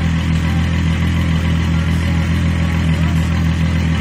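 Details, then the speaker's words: Mk3 VW VR6 with intermittent misfire and hard starting, new plugs and leads, owner suspects coil pack: deep, even hum at steady idle, no stumble or skipped beats right now. "For some reason it's not misfiring now. Let's see. Damn, she sounds good."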